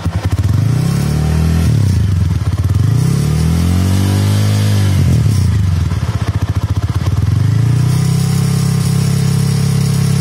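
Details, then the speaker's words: TVS RTR 200 single-cylinder motorcycle revved and held high, loose tinny rattle like something in a tin can over the exhaust note; manufacturing defect inside silencer, replaced under warranty. "so that is the problem with the silencer it is making a loud noise"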